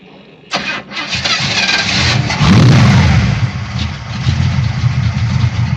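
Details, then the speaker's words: 1967 Pontiac LeMans Pontiac 400 V8 fed by electric fuel pump, no radiator: brief crank, fires right up, flares once, holds steady deep idle without misses, 60 lb oil pressure; normal start and idle. "Shut off like it started up yesterday. £60 of oil pressure. Sweet."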